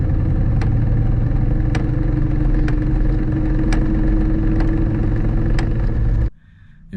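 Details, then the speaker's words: Ford Mustang SVT Cobra manual gearbox after tire shop alignment test drive: sharp ticks about once a second over steady idle rumble, still loud in neutral as well as second gear; owner suspects broken second gear. "It's knocking really loud in second gear. And uh even in neutral, it's it's knocking really loud."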